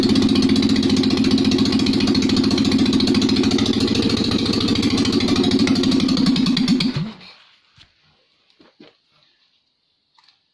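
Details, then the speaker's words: Citroën 2CV flat-twin after rebuild with 652cc conversion, rejetted Solex carb and new 123 ignition, running with no exhaust on a not-cold day: loud, even beat that picks up cleanly on the revs. Successful start, runs healthy. "I think we can call that success"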